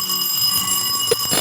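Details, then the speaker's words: Radiante no-frost refrigerator after repair of a damaged thermal fuse, control board tested with a bell wired to the defrost heater leads: steady high bell rings continuously, draw 0.90; defrost started normally, unit tested OK. "Tenemos 0.90 de consumo. Enciende la campanilla del deshielo."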